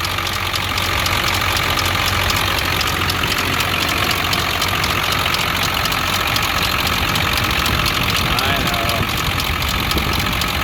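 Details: Ford 7.3 Power Stroke diesel at idle with a quick, fairly regular top-end clicking over the clatter, steady with no rev change; cause unknown, oil was found low and topped up.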